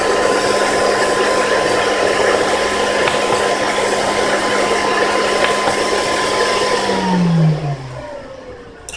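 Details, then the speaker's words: Modded Dell 750W 62A PSU charging a battery pack: a steady high-speed fan whir, then the pitch slides down as the fan drops to low speed. The fan runs high above about 10 A and low below. Normal automatic fan speed change. "so it seems right at 10 amp that's when the fan kicks in um kicks in high fan High fan speed mode uh when the amp or lower than 10 amps um it goes down to the low the low speed which is much quieter"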